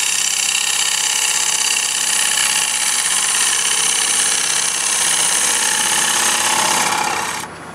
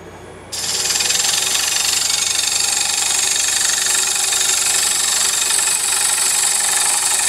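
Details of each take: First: Woodturning lathe, poplar block being hollowed into a bowl with a sharp gouge using a push cut riding the bevel; steady, even hiss of shearing wood with no chatter or catches, a clean smooth cut without tearing. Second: Wood lathe hollowing a poplar bowl with a gouge: a steady cutting hiss with a rapid, even banging chatter of about four per second, the bevel bouncing on the wood because too little edge is cutting.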